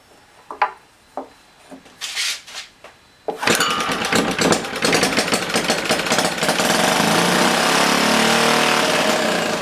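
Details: Old, worn Clinton B704 engine, before the carb clean: after a few seconds of handling it catches and holds a fast, steady roar, running only on fuel sprayed straight into the carburetor.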